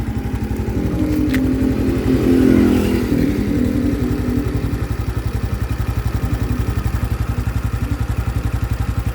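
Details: Honda Biz 2025 motorcycle at idle: a rapid, even tapping clatter that stays as the revs drop. A new engine noise appeared after riding under 70 km/h; cause unknown.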